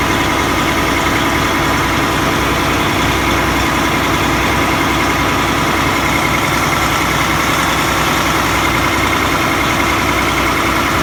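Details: Diesel engine idling: rough puffing chuff about three times a second over the clatter, from an exhaust leak at the DOC (diesel oxidation catalyst) case.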